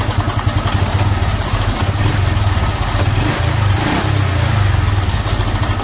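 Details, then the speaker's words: Honda Supra X 125 FI after fitting racing valve springs; loud, rough idle with a constant metallic clatter over the engine beat. "Nah, jadi kalau biasanya itu sih cuma suara kemicik dari rantai ya, Teman-teman. Dan itu masih bisa ditoleran saya toleransi ya, bukan ditoleransi seperti itu. Tapi sekarang sudah muncul suara kayak gitu."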